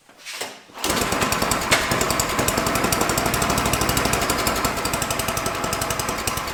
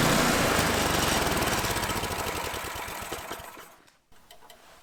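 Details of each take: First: Tecumseh small engine on a free MTD/Troy-Bilt snowblower with no air filter, running at a low rough uneven speed that never picks up; the throttle linkage is stuck and not moving, near the governor. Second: Troy-Bilt/MTD snowblower with a Tecumseh single-cylinder engine, after cleaning a gunked carburetor bowl and a dirty gas tank: fires evenly at a fast, steady beat, then dies away; now running okay.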